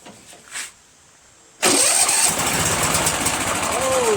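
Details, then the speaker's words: Craftsman (Yard Machines) chipper shredder flathead engine just fitted with a new starter after head clean-up and valve-seat sanding: quiet, then it catches instantly and settles into a steady, even run, starting right away. "look at that what happened started right away awesome"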